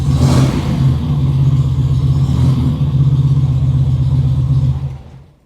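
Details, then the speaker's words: 1970 VW with a 1915cc engine, just fitted with dual 40 carburetors and adjusted: steady fast idle with an even low rumble above a normal tick-over, then shut off. Idle is set a little too high and will be lowered. "uh one of them just lower the idle just a bit uh she is she is a little high uh you can probably hear it in the audio but uh idle drop"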